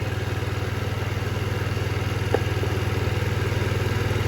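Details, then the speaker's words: 2007 Diamo Retro 50 GY6 scooter, after installing new intake tube: single cylinder putters about four beats a second with uneven, lumpy idle; adjusting airbox changed nothing, owner suspects valve adjustment needed. Rough running, cause not found. "There. That didn't change a thing. I don't know, guys. Maybe the valve does need adjusted and it just isn't hitting quite right when it's not starting like that."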